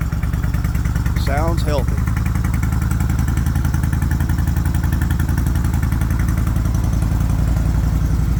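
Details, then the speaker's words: 2004 Suzuki Intruder 1400 V-twin, 7,372 miles, unregistered 16 years, after new fuel lines, used rear carb and carb rebuild, K&N filters; slow to start, owner suspects lean, may need jet kit, unsure of RPM; steady lopey idle, no misses; normal idle. "Takes a little bit to get it started. Uh like I say, I'm sure I've still got some more tweaking to do. She's running good."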